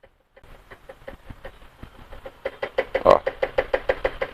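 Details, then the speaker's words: 2019 BMW X1, nearly 40,000 km, front suspension knocking: the front left (driver side) shock absorber rod worked by hand gives sharp rapid knocks from play in the rod bushing; shock is finished, front pair to be replaced. "sabe ele abriu folga né então e aí o funcionamento dele também tá ruim tá então ele abriu abriu folga aí o amortecedor já era"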